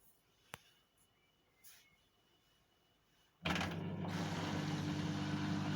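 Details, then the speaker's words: Bosch Exxcel 1400 S Express 6 kg washing machine on a drain program, door locked: quiet at first, then the drain pump cuts in with a steady low hum and light ticking, running normally. "You can hear the pump ticking in. Just give it a minute."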